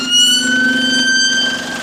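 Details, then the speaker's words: Bus SLN 36629 on route 273: a steady, high-pitched whistling whine over the engine for about two seconds, coming from somewhere toward the front; the source is unknown. "There's a weird noise I'm hearing, bro, somewhere. I'm trying to investigate what that noise is."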